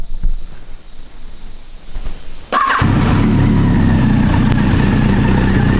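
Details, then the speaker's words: Yamaha XJR1200 after a rebuild with a new battery and tail tidy, started with the fuel turned on: a brief starter crank, then it catches cleanly and settles into a steady, even idle with no misfires. "So yeah, now we'll turn the fuel on and show you what it sounds like."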